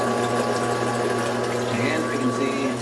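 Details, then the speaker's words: Fisher & Paykel washer that won't go past the wash cycle or drain properly, running a rinse cycle. The drain pump hums steadily with faint gurgling as water goes back into recirculation with only a trickle out the drain, pointing to the diverter valve. "can hear it working you can see a little bit of water coming out of the circulation"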